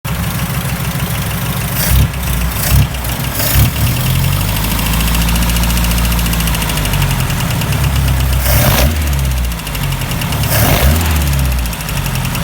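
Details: Opel CIH engine: a steady, fast, deep knock runs under the idle and follows the revs when the throttle is blipped; suspected rod knock, cause unconfirmed.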